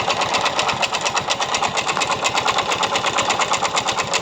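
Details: Yamaha Mio Soul i 125 scooter idling with the CVT pulley set removed; regular knock about twice a second over a steady idle persists; owner blamed the pulley and back plate, but the mechanic diagnoses a worn connecting rod.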